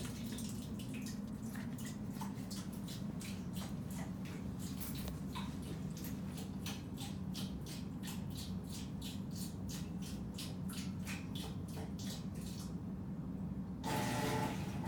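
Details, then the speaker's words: Washing machine diagnostic cycle, quick agitation after the fill: low motor hum with quick, regular ticking and rasp like a meat grinder; normal for this machine. "Kind of sounds like a meat grinder, but this is actually normal sounding for this machine."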